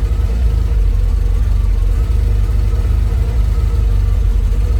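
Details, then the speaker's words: Opel GT, which had been producing steam, fuel cap refitted: a lumpy, uneven idle with the beat wandering up and down; runs marginally better with the cap on, but still rough and the cause is not confirmed. "See if I can put the fuel cap on without it stalling. That's the fuel cap back on. It runs marginally better with the fuel cap on."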